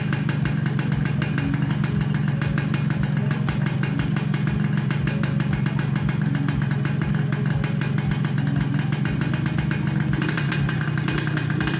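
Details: Suzuki Satria Hiu two-stroke after reassembling kick-start shaft and spring and filling 1 liter plus 50 ml oil: steady crisp buzz with even rapid beat, no misses, knocks or rattles; normal running.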